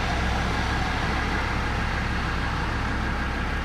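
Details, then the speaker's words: Land Rover Discovery 2 TD5 diesel just after an engine oil change, oil still slightly low: steady even low rumble, no knocks or rattles; sounds quieter after the change, normal idle. "Always sounds so much quieter after an oil change, have you noticed?"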